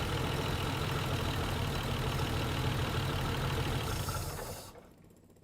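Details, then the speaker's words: 1949 Plymouth Special Deluxe sitting 30 years, first run after hand-choking; idle chugs unevenly then sags and dies, quit when given throttle, seems to want more choke and throttle; rough running and stalling at idle. "it wants a little more throttle I can adjust that well I just gave it throughout and that's when it quit"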